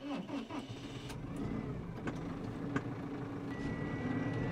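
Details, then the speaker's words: Arbos 5130 tractor diesel at idle, recorded in the cab after fitting a hydraulics sound-deadening kit; low, even, subdued drone, about 73 dB, judged quieter with less booming. "Ty, ciszy jest. 73 teraz mam na wolnym gazie. Ty, no jest ciszej."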